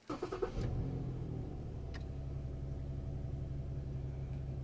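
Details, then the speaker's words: Lincoln MKT after fuel pump replacement for lean codes P0171/P0174: a quick crank catches at once into a smooth, even idle with no stumble or misfire. Fuel trims show the engine is no longer running lean. "okay so this engine is no longer running lean this is fixed guys"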